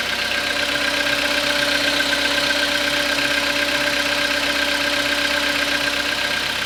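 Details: Skoda Rapid 2014, 1.6 CFNA engine, cold start after overnight parking at −0.5 °C, 27,630 km: fast even tapping about four per second over steady idle hum; knock at cold idle, cause undetermined.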